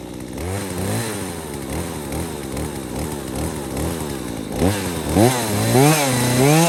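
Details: Husqvarna 240 chainsaw that bogged after a new Hipa carburetor, after correcting the high, low and idle adjustments, restarted after sitting 15-20 minutes: crisp idle and quick clean revs without bogging; normal running.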